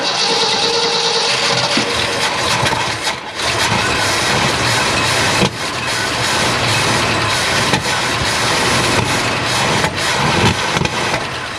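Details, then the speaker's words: 1972 Ford F-250 after sitting at least 14 years, spark confirmed: after long cranking the engine catches and runs unevenly, surging and stumbling at idle; owner thinks it is burning crud out after storage. "hey guys we got her started at least here for a little bit uh probably just burning some crud out of it"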